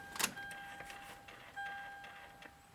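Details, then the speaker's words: 2004 Lexus LX470 power steering column: up/down height adjustment works but telescoping in/out fails; thin electric motor whine in short runs as the gear spins with nothing happening, telescope motor turning freely. "the in and out the telescoping feature is not working you can hear the gear spinning and nothing happening"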